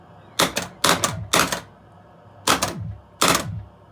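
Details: Gottlieb Touchdown pinball machine during a switch test after restoration work: five sharp mechanical clattering bursts with ringing tails, each a clean score registration; the switch and scoring unit work properly.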